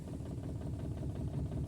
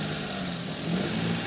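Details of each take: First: Maruti Suzuki Alto 800 idling in neutral with a misfire, no check-engine light and no stored fault codes. Uneven lumpy idle with an irregular chuff and shake, with an ignition coil problem indicated. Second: Maruti Suzuki Alto 800 after repair of a misfire attributed to the ignition coil: steady, even engine note rising smoothly with a light throttle blip, no stumbles or misfire; check engine light off.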